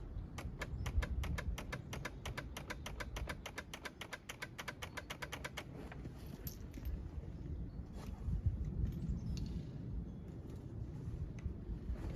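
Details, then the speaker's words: Yamaha Phazer snowmobile, first start of season at about minus 15, sat all summer: rapid even clicking about five per second, engine not turning; starter clicking at the solenoid, owner suspects a bad solenoid. "Starter's unhappy. Starter is a pain to get to on these phases. Way up under That sounds like it's clicking at the solenoid. Maybe I got the bad solenoid."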